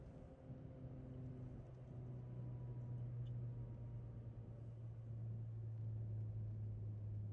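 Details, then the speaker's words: Chevy Volt at 53°F after a heated garage; started on gasoline despite about 24 miles of charged range, amid 12V AGM battery electronic gremlins. The engine screams at high rpm with no load and won't settle to idle. Racing, cause unclear. "And it just sits here and revs. It's just screaming. Listen to the motor."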